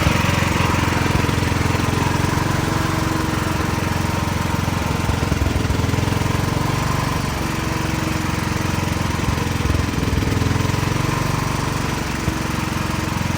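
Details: Small backup generator running during monthly life-safety test, steady drone slightly rough in tone but even throughout; normal running.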